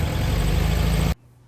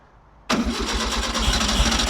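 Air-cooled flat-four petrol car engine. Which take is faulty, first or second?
second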